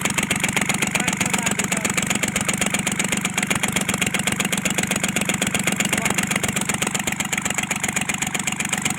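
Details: Kubota L1-255 small diesel idling, with white smoke: hard, sharp knock hammering steadily over the clatter, from a cylinder head fault; the cylinder head was replaced.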